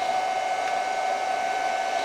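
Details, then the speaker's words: Noisy cooling fan on a Chinese handheld arc (stick) welder: loud steady rushing airflow with a constant mid-pitched whine, heard at switch-on before a first weld attempt; normal fan noise. "not surprising we've got a very noisy fan"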